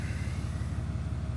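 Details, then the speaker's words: Diesel pickup, the 3500, just after fuel filter replacement and several key cycles to prime: deep steady diesel clatter with even low thrum and no stumbles; big six idling smoothly after start. "yeah there she goes so now we'll let it run for a little bit"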